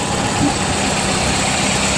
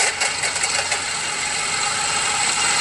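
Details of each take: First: Car at idle after replacing the bad alternator with a used unit; charging restored to 14–14.6 volts; steady even idle, smooth hum, no rattle or whine, previous noise gone — normal idle. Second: Car at idle with a bad alternator, battery at 12.3 V and voltage dropping; heard through a screwdriver used as a stethoscope on the alternator, harsh gritty metallic rattle over the idle — alternator bearing rattle.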